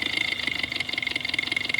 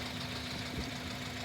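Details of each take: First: Ultrasonic probe on the fuel rail of a running 4-cylinder, scope triggered on injector 1; resistance added to the number 4 injector circuit makes steady injector ticking drop beats, so cylinder 4 intermittently misfires, then returns to running on all four. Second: 250,000-mile engine idling, heard through an ultrasonic Whisperer tool as a baseline: an even, steady idle hum with no ticking or knocking; fuel control and vacuum are good. Normal idle.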